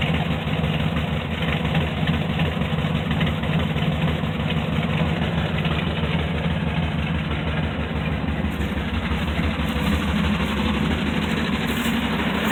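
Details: Dart engine running with a loose, uneven knock riding over the low rumble; something knocking inside, cause not yet pinned down.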